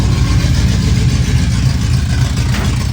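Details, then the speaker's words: Carbureted Pontiac Trans Am/Firebird V8 just started, cold, checked with a timing light after the distributor may have moved. Deep, lumpy, lazy idle; ignition timing is very retarded. The car also bogs when hammered. "Timing won't be right. Quickly throw it on there. Pretty retarded right now. Really retarded."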